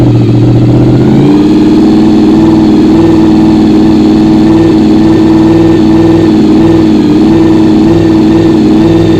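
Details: Honda VFR RC36-2 V4, starting while battery voltage (12.80 V beforehand) is checked by multimeter; the battery charges straight away. The starter whirs briefly, then it catches and settles into a steady, even idle with no knocks or misses.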